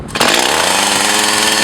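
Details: Echo CS 4500 chainsaw, bought used with unknown history, after carb rebuild, test-cutting wood behind a garage in wind. Snaps up to a high, steady scream and holds it cleanly without bogging or surging; carburetion sounds right.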